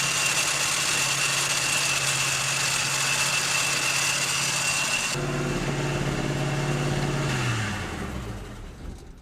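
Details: 1968 GMC half-ton V8 idling fast and steady around 1100 rpm, about 300 above target, before shutdown; high idle, owner suspects vacuum leaks from unconnected ports including vacuum advance.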